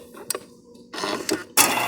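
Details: Frigidaire Gallery FGHS2631PF3 ice dispenser after replacing broken auger nut, E-clip and washer: a click, then short rattling bursts and a louder run as the motor turns and ice drops; working normally in cube mode.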